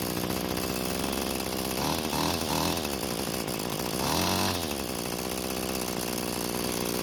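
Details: Bolens two-stroke string trimmer after its disconnected throttle cable was reconnected, started without choke: buzzes steadily at idle and picks up crisply on two throttle blips, clean and even; normal running.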